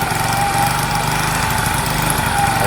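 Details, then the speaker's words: Sinnis SC125 125cc single motorcycle: idles with unsteady, lumpy beat that never settles, runs but unhappy; owner suspects valves, valve cover not yet removed, not confirmed. "when it moves and it goes but it ain't happy about it i've got to get that valve cover off because i'm sure it's the valves"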